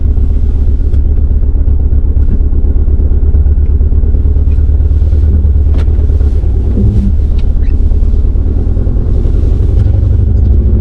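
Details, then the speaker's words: 2016 BMW 428i xDrive driving after cylinder 2 coil swap: steady low drone with choppy pulses and brief stumble, cutting out; better than before but still rough misfire under load, smoke above 2000 rpm, engine light flashing. "I don't know if you guys can hear it or not, but it's like it's cutting. It's not like like it doesn't seem right."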